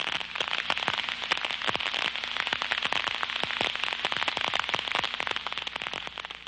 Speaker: when the liquid is sucked through the leak site it will form bubbles that collapse creating ultra sound detectable with the contact probe